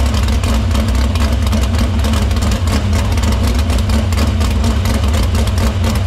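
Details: Dirt Silver Crown race car idling in the shop after fixing the fuel line, cleaning the filter and getting fuel through the pump and main lines to the barrel valve. A deep, steady, unbroken rumble with no stumble or misfire. Fuel system checks out: normal idle.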